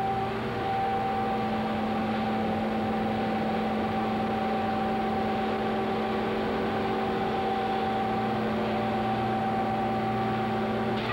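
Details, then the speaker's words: Coal pulverizer mill gearbox at the Staley Sagamore cogeneration plant, heard from beneath the gearbox while the mill runs: steady, even hum with a few constant tones, no knocks or grinding; the mill itself is silent, normal gearbox hum. "here we're standing underneath the gear box now and as you can see the mill is in operation there's absolutely no noise coming from the mill [Music] itself the noise you are hearing is from the"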